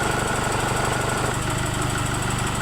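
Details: 2016 Chevrolet Trailblazer at steady idle: rapid, even engine knocking with no other noise. The source is not yet pinned down.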